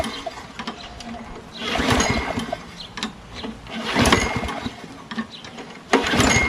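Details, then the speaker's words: Lawn mower with a primer-type carburetor, belt disconnected, primed with fresh gas: three cranking bursts that never catch; cranks but won't start, and the carburetor is leaking. "yeah it doesn't feel right maybe this thing's not engaged fully maybe let's spray it with some carb cleaner"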